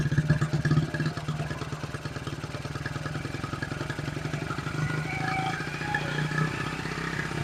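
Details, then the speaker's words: 1974 Honda XR75 small single on choke after new ignition coil fitted, holding a fast, slightly unsteady high idle that never settles; idle screw almost fully out, mixture screw adjusted, idle jet changed 38 to 35. Owner suspects plug; unconfirmed. "So, but let's check this plug. Because usually when it's idling high like that and you can't adjust it,"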